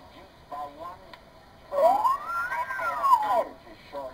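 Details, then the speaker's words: Improved Morgan one-tube regenerative receiver, hand-wound choke replaced by a store-bought choke, tuning a weak broadcast-band station: clean whistle glides smoothly up and down with no squeals or jumps; regeneration control stable. "how nice that regeneration control is now you can see how much more stable it is now"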